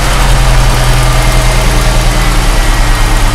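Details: 2004 Ford Mustang first start after fuel pump replacement: deep, steady idle with an even low rumble and no misses, knocks or hunting; engine runs normally.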